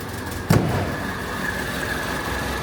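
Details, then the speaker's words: Classic Renault R16 after low-oil-pressure knocking bottom-end repair and oil pump priming, restart on choke: one sharp thump then low, smooth, even idle with no knocks or ticks; sounds healthy. "that sounds absolutely sweet now don't act like you're not impressed"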